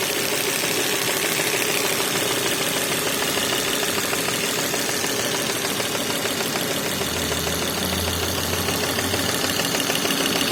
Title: volvo s60 2.4 103kw engine knocking sound...